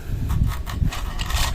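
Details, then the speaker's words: Honda Click version 3 scooter, CVT opened, noisy since only 1,000 km. Turning the pulley by hand gives uneven raspy popcorn or crushed-ice scraping bursts. The cause is the CVT belt, which has lost its smooth coating and shows marks. "Yan po ang tunog at yung parang popcorn o parang ginagadgad na yelo eh ito po ang nagco-cause niyan itong ating belt"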